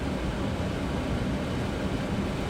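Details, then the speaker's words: 2002 Dodge minivan blower motor that worked only on high, after the fix, now stepped up to full speed: a steady, even rush of air with a low hum, no ticking, rubbing or wobble; the blower runs normally on high. "move it up to a notch it's blowing stronger and then it's blowing full speed"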